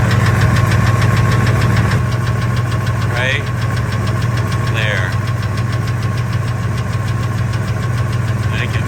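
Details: 1999 Ford F250 V10 idling in park with an even light tick about 200 per minute over the idle, loudest near the flex plate, intermittent 600–1800 rpm, gone above 1800; injectors, coils replaced, EGR deleted, headers leak-free, timing chain good; source not found.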